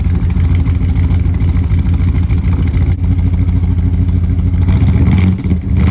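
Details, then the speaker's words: 1999 Dodge Ram 1500 5.2 (318) V8, cold start recorded at the tailpipe just after fitting new spark plugs: deep lopsided burble with occasional skipped beats, a cold miss it has had for years; new plugs did not fix it, plug wires on cylinders two and four possibly swapped. "uh obviously it's a fresh plug but those plugs are not the reason this thing was idling funky so we're still on the hunt I guess"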